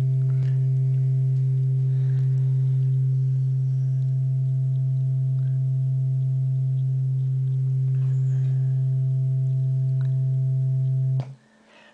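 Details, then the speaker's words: Class B transistor output stage enclosed in an op-amp negative feedback loop to improve linearity, playing a sine test tone: a pure steady low hum with no buzz or crackle. Clean sine output. "looks like a pretty good sine wave to me but wait that is a Class B output stage now in the heck well this amplifier must be feeding this Class B output stage one heck of a corrective signal"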